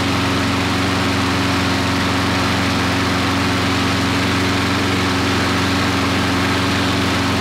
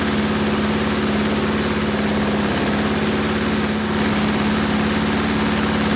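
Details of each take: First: Briggs & Stratton 5-6 hp flathead mower engine, long-stored, after governor rpm adjustment up from 2160 rpm: steady high governed hum with one small settle near the end; leftover oil in the muffler from first startup; running at proper speed. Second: Briggs & Stratton 5-6 hp flat-head lawnmower engine running steady but slow at about 2160 rpm measured by tachometer, well under mowing speed; governed speed set too low.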